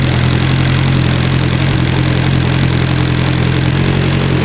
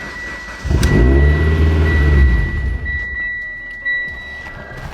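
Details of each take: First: Evo engine that had started knocking, running after a bad cam gear was found and the cams replaced: loud, even idle with a smooth steady rumble, no knocking or ticking; sounds healthy, normal idle. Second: Mitsubishi Evo 10 on pump gas (ETS 6266 turbo, ID1300 injectors, Walbro 450), new base map then old tune; starter spins steadily but never fires, owner suspects another killed cam sensor, possibly from low voltage.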